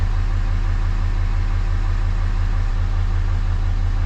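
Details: 2018 Ram 2500 Mega Cab diesel, about 41,000 miles, just restarted after oil and fuel filter change: steady, even idle clatter with deep constant low drone, no misses or knocks; running normally.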